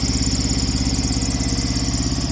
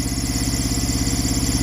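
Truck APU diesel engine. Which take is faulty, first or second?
second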